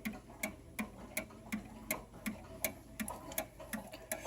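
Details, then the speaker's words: Pre-WWI Pequegnat Pantheon oak mantel clock with springs over 100 years old, running level: crisp, even tick-tock under three beats a second, a normal in-beat pendulum tick. "i think you might be able to hear it actually ticking yeah and there it is still going"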